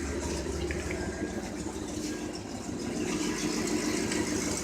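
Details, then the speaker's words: 1992 3500 HD truck, back running after tightening the starter motor cable: quiet uneven idle with a lumpy wandering beat, running rough; owner blames 1-year-old gas. "It doesn't run all that good because it's running on 1-year-old gas from."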